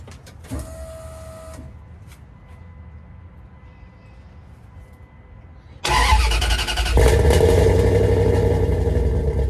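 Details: 5.2L Magnum V8 with new headers and exhaust, restarted after burnt ignition wires were replaced to cure backfiring: it cranks, catches and settles into a steady, even idle with a deep exhaust note and no pops or backfires, running normally.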